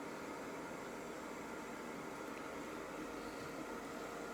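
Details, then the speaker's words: Sunfire heater after being switched off: low, even airy hum of the fan running its normal cool-down cycle, no knocks or rattles. "it's going through its cool down process right now."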